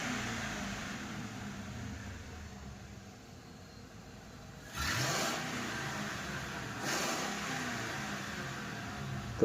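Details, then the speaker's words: Mercury car that misfired with check light (cylinder 5, 6, 8 codes): after repair and clearing codes, engine idles steadily with two throttle blips, even, no misfire, no fault codes. "बिल्कुल भी जो है misfire नहीं हो रहा है।"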